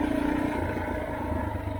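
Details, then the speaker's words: Yamaha TTR230 trail bike after clutch adjustment and oil change to clear metal shavings: smooth even engine drone with light gear whir, no grinding heard; owner hopes the transmission problem is fixed. "I don't hear any grinding I can hear the gears so I'm hoping the problem is fixed"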